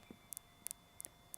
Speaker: If you get it so you just put your finger on it, you can hear it start clicking. Put the microphone near it and press it. Hear that ticking?